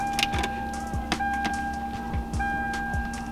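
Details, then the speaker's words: Lexus LS400 after fuel line relocation, low fuel, key-on fuel pump prime during a leak check (none found, about 40-45 PSI expected); steady mid-pitched hum holding even for a few seconds among light clicks; normal priming. "I know that I don't have much fuel, but I'm gonna start it up. I'll let the fuel pump prime and then at least make sure there's no leaks for right now."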